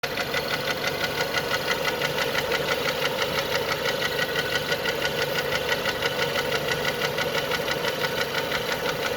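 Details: Renault Megane 2 engine at idle: steady, fairly even metallic knocking about twice a second; something inside the engine knocks, cause unclear.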